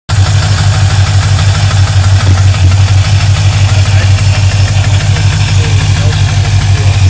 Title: Ticking noise